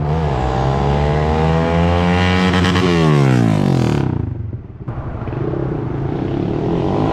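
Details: 2012 Honda CBR250R single, straight-piped, after tank cleaning and fuel pump replacement: loud open-pipe revs climb and drop, a brief cut, then rough throbby idle; owner calls idle slightly weird but basically running fine.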